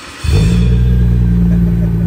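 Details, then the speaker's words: Nissan Skyline R34 GT-R (stated 900 HP) cold start after sitting unstarted: starter catch then deep, steady burbling idle with even pulses, no ticks, rattles or annoying exhaust noise; runs beautifully. "inanılmaz güzellikte çalışıyor ya Call Start bu ve egzozdan böyle rahatsız edici ses yok"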